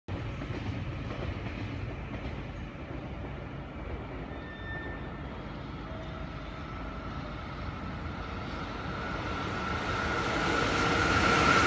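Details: JR Freight EF66-112 hauling train 1097 passing Atsuta Station: a steady pounding of about four beats per second from flat-spotted wheels.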